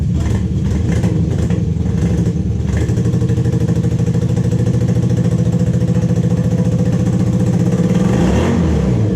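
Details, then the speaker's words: 1986–87 Honda Super Magna four-cylinder motorcycle that sat in a field about 10 years: uneven, stumbling idle with missing pulses that briefly evens out and then falters, misfiring and slowly clearing up. "Oh no. It's definitely not happy, but it's starting to clear up a little bit more and more."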